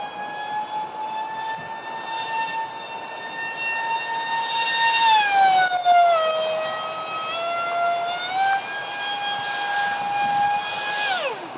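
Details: Su-35 RC jet EDFs, 5-blade rotors on 2600kv motors at 6S: high steady screaming whine dipping and climbing with throttle, harsh edge from vibration; cheap shaft adapters and mounting pads detached from vibrations.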